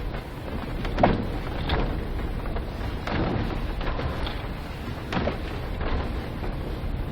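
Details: Volkswagen Polo sedan driving on the road: dull, irregular thumps every couple of seconds over steady road rumble; suspension knock.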